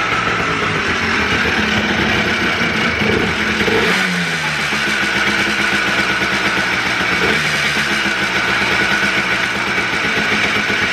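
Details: Freshly rebuilt two-stroke Blaster on its heat cycle, with the idle mixture/air screw left far too high. A raspy idle wavers and stumbles between blips. It runs rough from the misadjusted idle screw, which is not good for the fresh rebuild.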